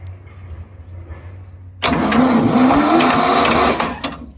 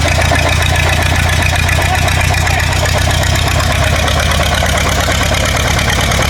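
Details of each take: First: Machine abandoned in the woods 35 years with a swapped-in Ford engine, freed up and cranked on its starter motor; after a quiet start the starter grinds about two seconds with a heavy, uneven churn. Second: War Department roustabout crane on an International tractor, unrun for 35 years, running on its own diesel despite an injector line leak. Steady, regular clatter at an even idle with no misfires or stumbles; running clean.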